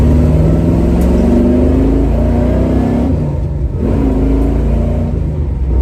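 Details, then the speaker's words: 1970 Chevy Nova big-block V8, after replacing the failed water outlet O-ring with a paper gasket and RTV to stop a coolant leak, run up to about 6200-6300 rpm in a burnout test; roar climbs smoothly, drops and pulls again, clean with no knocks, healthy high-rpm rev. "all right just going to run it up a little bit probably about 5 6,000 see what she does here woo yeah wow holy crap she likes to eat that's for sure that was probably about 62 6300"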